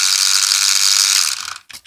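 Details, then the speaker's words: Small toy RC car gearbox running: high, ratchety buzz with rapid clicking from a broken gear. "this is actually a broken gear in the gear box there it's although it works I don't know if you could hear it there is actually a clicking going on there"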